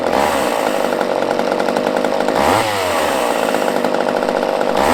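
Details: Used chainsaw with old fuel dumped, fresh fuel added, and the fuel line primed: loud high two-stroke buzz held at high revs with a brief dip and quick recovery; runs cleanly.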